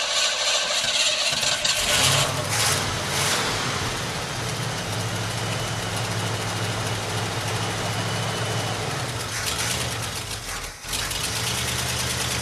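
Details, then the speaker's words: 1984 Ford F-150 donor truck, engine untuned and just refuelled: a fast, steady idle held well above normal with no dips, set high deliberately so it stays running in gear. "i was able to get it to stay running while in gear by obviously having it idling high as hell"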